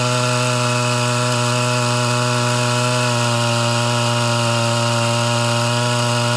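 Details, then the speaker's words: Mildly ported Homelite Super XL Auto chainsaw cutting under load at low revs with a brand-new chain whose rakers are set too low, reeds not sealing: note stumbles and burbles, four-stroking from a deliberately rich carburetor mixture during tuning. "i've started off rich so you're going to start smear hearing this all cut in and out of four-stroking"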